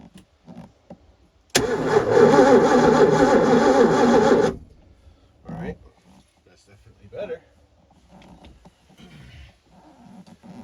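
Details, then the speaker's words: 1989 Supra TS6M ski boat with 1300 hours, once sunk and left for years, on a charged jump pack with fuel added: strong even cranking for three seconds that never fires; no spark suspected, with power at the coil but no trigger signal found. "all right so I'm guessing there's no spark let's see if we got power to the coil"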